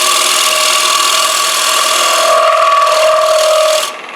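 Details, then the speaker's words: Woodturning an economy bowl made from a single board: steady high rasping cut with fluttering ringing chatter near 600 Hz as the tool bites inside the thin wall, which lacks the mass of a solid chunk of wood. "So you can hear the chatter there. It's going to happen. You don't have the mass inside there like you do if you're turning a chunk of wood."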